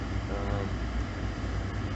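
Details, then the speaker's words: Jeep Liberty at -10°F after a cold start, warmed up at idle: low, even rumble with no skips or stumbles. The earlier misfire has stopped; owner suspects plugs or an ignition coil, a coil code once logged. Normal idle. "all right so the uh misfire stopped it's running nice and smooth now"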